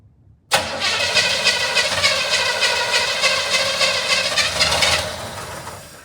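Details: 1975 Chevrolet Monza 350 V8, first start attempt in 12 years, on gravity-fed fuel, carburetor bowl gasket leaking: starter spins at a steady three-and-a-half beats a second for about four seconds, then winds down without catching; cranks, won't start.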